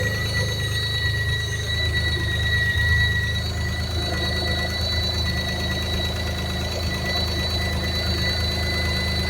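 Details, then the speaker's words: Car restarted after standing idle for ten years, just after a timing belt change: thin, piercing high-pitched whistle held steady over an even engine rumble; owner felt it was rpm-dependent and suspects a cylinder or a vacuum leak. "Ein hochfrequentes Pfeifen. Zumindest schon mal kein Qualm. Noch nicht."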